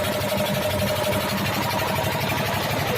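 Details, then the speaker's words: 12 hp single-cylinder diesel engine after fitting piston rings and block: steady, even fast-idle chug with no knocking or misfire; normal running, sounds fine. "कैसी आवाज़ है तो जैसे दोस्तों आवाज़ कैसे बिल्कुल बढ़िया ए रही है"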